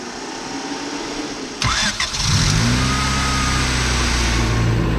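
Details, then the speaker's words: Honda Civic D16Y7 with Jackson Racing supercharger fitted for a day, stock injectors and ill-fitting throttle cable, first test start: brief crank, catches and settles into steady even idle with firm low hum, then a rev; normal, clean start-up. "it seems to start up. Give it a rev. Wow, that sounds awesome."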